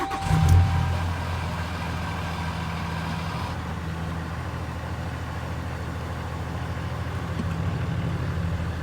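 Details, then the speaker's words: 2015 Ram 2500 6.7 Cummins diesel with G56 6-speed manual, 76,387 miles: deep, uneven idle rumble with a loose rattling underneath, louder when the clutch pedal is pushed in; suspected clutch rattle, not confirmed. "you can hear that rattling from the building this clutch especially when you push the clutch in"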